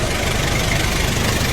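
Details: Kia K2500 4x4 diesel at idle in neutral with AC on, after tightening the loose AC belt at the lower adjuster pulley: steady, even idle, smooth low rumble, no squeal or chirp; belt replacement not needed.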